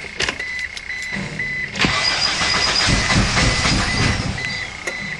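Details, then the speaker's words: Eagle Summit engine after reinstalling the cylinder head with a new head gasket and correcting wrongly set valve lash adjusters, cranking with the spark plugs unhooked. The starter turns at an even, steady rhythm; compression sounds just right. "That sounds perfect. Compression sounds just right."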